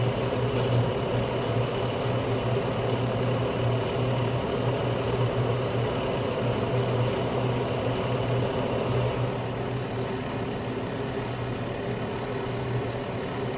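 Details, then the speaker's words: Carrier Infinity 96 (58MVB-080) gas furnace heating on low stage after the blower-on delay, with the blower now back on pushing warm air through the house: steady, even low hum with a smooth airflow rush and no knocks or rattles; normal low-stage heating with blower running. "so now the blower has come back on so now it's obviously pushing the warm air throughout the house"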